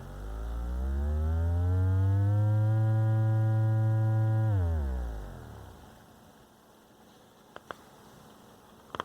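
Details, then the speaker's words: Radio Shack Realistic MC-800 woofer out of cabinet, driven by amplifier from signal generator around 40 Hz; steady low tone then falls away clean, no scraping or buzzing at high excursion, no voice coil rub. "we can do high excursion and there's no rub there which is really good"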